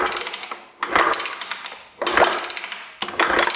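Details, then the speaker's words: 1994 Honda CR125 two-stroke dirt bike that sat 12 years, with water found in the cylinder and sucked out, kicked over: each stroke brings a rapid run of hard metallic knocks following crank speed; rod knock from a failed rod bearing. "I hear like a knocking [Applause] that sounds like a rod knock to me no wonder the guy didn't want me to kick it over jeez"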